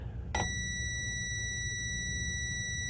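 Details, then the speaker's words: Fisher RS-220 receiver (dead, no power) being tested with a scope meter: a single steady high continuity beep while checking fuses, so this fuse is good. "Okay, we'll test some fuses. That one's good."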